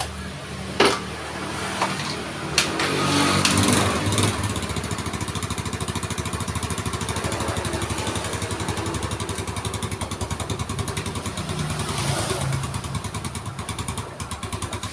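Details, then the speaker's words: Old Yamaha Mio scooter that blew white smoke, wet exhaust (suspected ring set), after engine repair and reassembly with oil: after a few blips settles into an even quick idle putter, no rattle or tapping; runs smoothly, problem fixed. "Alhamdulillah teman-teman suaranya halus baikanionya udah beres kendala kemarin itu ada Mas teman-teman"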